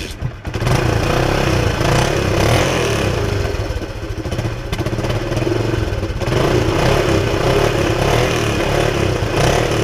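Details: All-original 1976 Honda XL175 single-cylinder running after a used coil was fitted and the bike washed, idling to dry out; steady, fairly even firing with light valve clatter and no misfires; engine runs healthy before disassembly.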